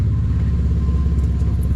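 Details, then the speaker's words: Beater car's muffler, ripped off, refitted cheaply with a can and strap clamps; mismatched pipe sizes leave an exhaust leak at the joint, giving a deep idle rumble with a blatty, still slightly loud note, quieter than before. "But my pipe size didn't line up, so I would say it's quite a bit quieter. Still a little loud though, but definitely happy with it because I didn't want to go pay another $500 to $800 to have that replaced."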